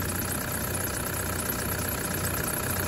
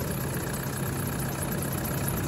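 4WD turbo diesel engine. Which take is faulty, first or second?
second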